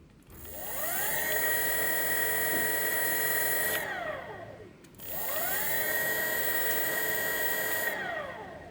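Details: CY Gold 48V 500W BLDC mid-drive motor kit with gearbox, about 4000 rpm (260/160 rpm geared), run unloaded forward and reverse: smooth whine climbs to a steady high pitch, holds, then winds down, twice over; even and clean, normal motor run.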